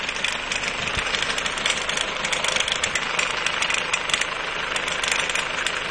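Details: Mercedes 190D 2.0 diesel at idle with a light, fast, uneven metallic clatter up high; owner suspects a timing chain problem, not confirmed.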